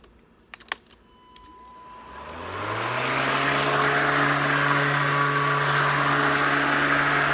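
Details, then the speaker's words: Ryobi 18V 13-inch cordless mower P1104, about 1.5 years old, stalling fixed by reseating loose cord connection; switch clicks then motor spins up to a steady, even hum and holds speed; runs smoothly. "Okay, so that seems to work fine. Other than that, no major issues with this lawnmower."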